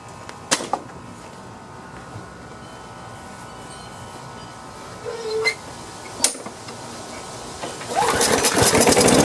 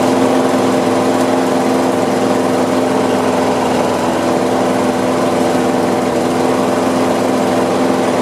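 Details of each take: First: Free Craftsman lawn mower after carburetor cleaning. A few quiet clicks, a short pull, then it catches at once and settles into a steady, even drone; starts easily and idles normally. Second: Free Craftsman push mower that had sat outside a long time, after carb cleaning, oil change and new RJ1 spark plug: even, steady single-cylinder buzz with no surging or misfires; owner thinks it idles kind of low.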